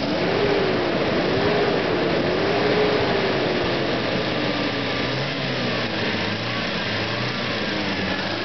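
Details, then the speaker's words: 1986 Toyota van at operating temperature after viscous fan clutch modified with a newly cut groove: steady fan roar over the engine eases and quietens as the clutch disengages; fan clutch working normally. "okay so the fan is uh disengaged see my temperature"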